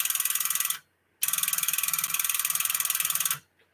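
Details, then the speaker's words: Tube linear amplifier (Sonar) under repair: a relay chatters in rapid bursts of sharp clicks, flipping back and forth instead of holding in. The other relay stays locked; further diagnosis needed. "Hear how it's chattering? It's just the relay on this here is just going back and forth, back and"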